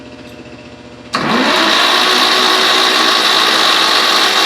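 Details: Buggy engine that sat outside for several years, turned over on the starter: a steady high whir with an even pulse about four per second. The engine spins freely, with some fluid, probably penetrating fluid, coming out.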